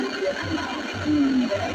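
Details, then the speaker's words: LG LED TV audio crackly and muddy, program hard to make out, tested via set-top box; fault in audio section. "Nah jadi ini suaranya KEMROSOK KEMROSOK ya teman-teman jadi suaranya tidak jelas"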